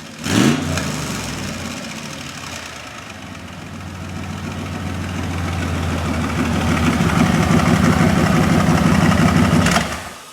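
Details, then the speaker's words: 1972 Chevrolet Corvette restomod with an LS engine conversion and custom tuned side-pipe exhaust, warming up. It fires up, settles into a steady, lumpy, smooth burble and swells through rev blips with a hot-rod edge, a healthy V8 idling and revving normally. "It certainly has a nice exhaust sound to it, but at idle it's quite nice too. It's nice and smooth. But with the tuned exhaust, it has a little more of an attitude, almost like a hot rod kind of feel to it."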